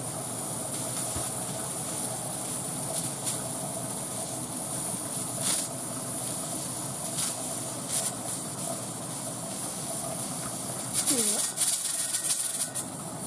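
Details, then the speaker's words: All-American pressure canner at processing pressure, on its second batch. A steady steam hiss, then a short rattling jiggle of the weight; this normal jiggle should occur about 4 times per minute with the gauge holding the set pressure. "That jiggle? Okay, it's supposed to do that 4 times per minute, and that's the way it's supposed to process."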